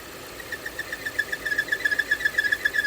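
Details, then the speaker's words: 2017 Volvo XC60 with P0507 high idle rpm and P0171 lean bank 1 codes: a thin, high whistle pulsing two or three times a second and rising when closed off, from an air leak felt on the engine, later smoke-tested. "I close it, see that noise increase. Something leaking right here. I can feel it. Air leak."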